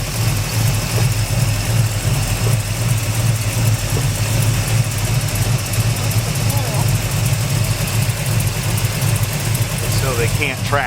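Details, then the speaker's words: Newly bought truck, revved and idling. Steady low idle with an uneven, stumbling beat; owner suspects the left side, possibly the plug wires draped across the engine. The miss clears out once warm but still isn't quite right. "think it's on the left side it's got a little little something going on it could well be the wires cuz they're draped across"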